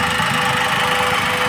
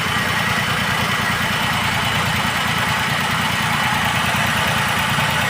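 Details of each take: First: Maruti WagonR, company-fitted CNG/petrol, switched to CNG after warming a little: steady even hum, silent, no stumbles; normal smooth idle on CNG, while it misfires on petrol. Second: Maruti WagonR CNG/petrol idling on petrol with an uneven, stumbling beat from a single-cylinder misfire attributed to a broken injector ground; it runs perfectly silent on CNG once warm.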